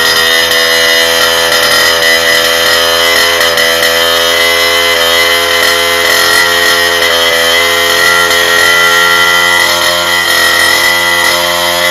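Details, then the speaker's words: Rebuilt two-stroke moped engine on test bench with a replacement exhaust instead of the likely clogged original: high buzzy note revs freely and strong with no sputter or bogging; normal revving. "Bon, je pense que vous voyez la différence. Hein. Il prend ses tours. Et quelle est la seule différence? Le pot d'échappement."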